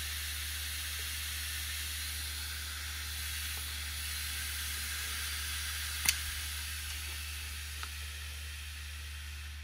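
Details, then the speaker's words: Seagate Cheetah 15K.7 600 GB 3.5-inch 15,000 RPM SAS hard drive with cover off: steady airy hiss with an even low hum, no ticks or scraping; spinning normally at full speed. "I just want to show you how fast 15 hour sorry 15 ,000 RPM looks like when the disc is spinning I know you wouldn't be able to tell from the video but you should be able to hear uh what it sounds like"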